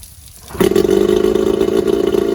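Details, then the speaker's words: Starcraft fishing boat's small kicker outboard, first start in spring after winterizing: it catches on the first try and settles into a steady, even buzz with no misses or knocks. It runs strongly and cleanly; the owner jokes it sounds like a 15 horse. "now that you know both motors run and they run very well you're ready to put the rest of the boat back together"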